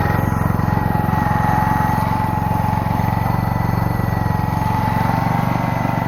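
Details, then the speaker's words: Small single-cylinder generator engine, long stored with mice inside, choke sprung to the on position, air filter off: low, slightly uneven thumping that sounds loaded and rich, bogging instead of idling cleanly; choke suspected, not confirmed. "i will start it the choke is springed to the on position so it's kind of bogging because of that"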